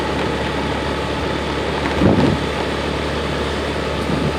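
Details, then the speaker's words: Honda Beat FI scooter after O2 sensor fix, riding at light throttle: steady even note with wind rush, no RPM dips or stumbling that occurred before at low speed in rain. "ada penurunan RPM , tidak ada lagi gejala tersendat."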